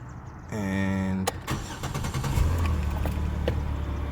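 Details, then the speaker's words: Chevrolet Impala after repair of a no-start with no power to the starter: starter whirs about half a second, engine catches at once and settles into an even idle; car working again after the fix. "that's it car back working um that was my issue car recognized everything again"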